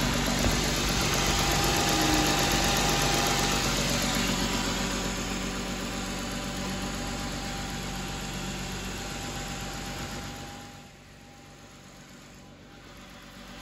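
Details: Car after a water pump and radiator replacement, with its cooling system just bled of air, idling while the radiator fans cycle; the A/C is being turned off. A steady, even idle under a whooshing fan rush that drops away; the engine sounds healthy.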